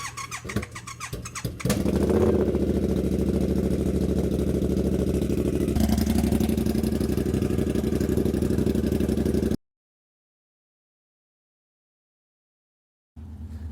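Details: Triumph Bobber, stored most of the year, after a starter problem on an undercharged battery; starter spins briefly, the twin catches and settles into a steady regular idle with no misses while warming up.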